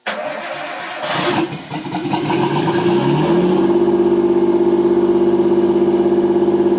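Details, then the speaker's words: Nissan 240SX S13 with an RB20DET, second start after rewiring the harness; no mass airflow sensor and vacuum lines possibly not all connected. It cranks briefly, fires cleanly and holds a fast, even high idle, smooth with no engine noise. "I didn't expect it to you know just fire it up and run the Idol being too high it's it's like whatever there's no mass airflow sensor on the car"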